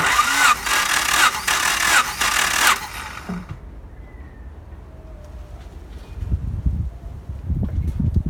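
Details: 1992 Honda Accord CB7 compression test, wet test with a little oil in the cylinder, ignition disconnected, gauge installed, cranked about four revolutions: even starter beats, about three a second; compression sounds healthy, reading around 190.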